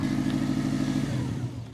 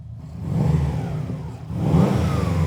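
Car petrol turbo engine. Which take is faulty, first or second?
first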